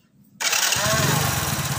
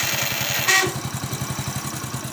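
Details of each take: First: Hero HF Deluxe after self-start motor repair: a short, clean starter whirr and the engine catches within half a second with no grinding; the earlier bad starter noise is gone without replacing parts. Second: Hero HF Deluxe self-start motor making a bad 'kachar kachar' noise: fast, rough rattling chatter while cranking with a sharp click as the starter engages, a worn starter grinding before repair.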